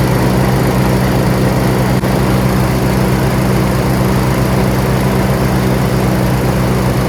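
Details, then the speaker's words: John Deere RX75 rear-engine riding mower, first start after ignition switch replacement and reassembly, choked, in neutral: settles into steady, even idle with constant low drone, no misses or knocks; normal idle, running well. "We got it all figured out. It's running! It's running well."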